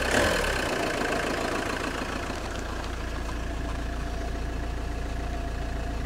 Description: JTD 105 weird creaking noise when engine is cold.